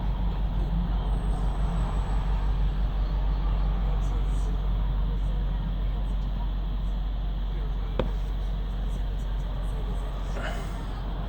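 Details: BMW 750Li petrol engine on first start, idling perfectly with a steady even low hum; after a stop and restart it runs rough, misfires and hunts, when cold, up to about 50C at the switch to VANOS operation.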